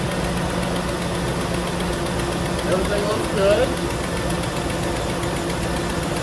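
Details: 1999-2006 GM 5.3 V8 idling after replacing the fan clutch, fan and AC belt, checking for interference: steady, even idle with a smooth low rumble and no knocking, scraping or slapping from the fan or belt.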